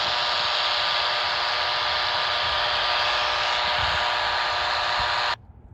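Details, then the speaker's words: AM radio at high frequency near a utility pole at location 2, 200–300 yards from the first pole: harsh, steady raspy buzz over hiss that then cuts off; suspected power line interference, weaker than location 1, cause not confirmed. "Here's location 2. It's probably I don't know, 200 or 300 yards from the first pole, and again, very strong buzz detected here by an AM radio at high frequency when I'm near the pole."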